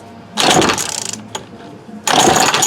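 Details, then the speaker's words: Remington Rustler RM2510 25cc curved-shaft trimmer with spark, an old Bosch plug and a damaged pull string: two rattly pull-start strokes, each catching briefly then dying; fuel delivery suspected. Kicks but won't start. "Well, it tried. It kicked a little there. I don't know if you guys could hear it, but it tried."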